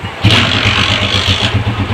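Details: Motorcycle after idle and fuel adjustment, started without choke: single cylinder fires at once and settles into an even quick popping idle; mileage and current said to be set, starts easily and runs normally.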